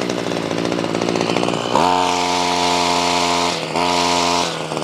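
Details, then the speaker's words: Ryobi CS26 two-stroke trimmer, earlier a no-start, now on a replacement pre-adjusted carburetor with idle raised: snaps to a high clean scream at full throttle, dips briefly, climbs again without bogging or sputtering; running well. "remember the high side is closest here so let's fire in the hole look at that Let the Smoke Clear out now this comes pre adjusted I actually want to raise the idle a little bit so let's do that let's raise the idle now she runs good let's give her the beans"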